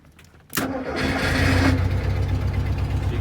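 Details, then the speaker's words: 1974 Volkswagen Super Beetle project car: quick crank, catches immediately and settles into a steady even air-cooled idle, no misses or knocks; starts and runs fine. "you can hear she's running all right."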